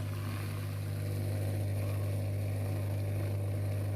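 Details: Midea dishwasher (wash motor had seized after the water was gone): drain pump/motor runs with a steady, deep electrical hum and no rattle or grinding; the drain motor works normally.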